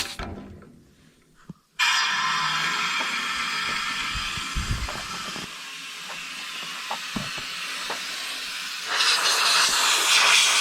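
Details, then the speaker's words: Pay loader air brake system with the engine off, pressurized from shop air: a loud, constant hiss shows a huge air leak, with smaller leaks also audible: air brake system leak. "can tell mechanically a huge leak so we know that that's we know that's leaking"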